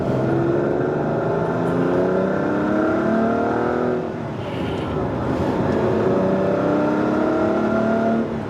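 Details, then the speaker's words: Ferrari 512 BB flat-12, serviced with new cambelts, brakes and suspension after diagnosing a misfire, now pulls hard under acceleration, note rising smoothly with no stutter or missed beats; healthy engine. "it sounds like this, what's not to like? I mean, that's pushing your head back."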